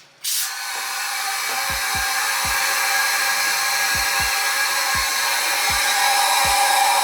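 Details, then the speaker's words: Stock 5.3 LS, twin turbo, in a Mustang after a stage 4 cam install with timing marks found way off, likely bent valves: leak-down test with a loud steady hiss of air escaping past intake and exhaust valves, faint ticking underneath. "intake and exhaust exhaust yeah you can feel it coming out damn that side's fine this size yeah you can feel it"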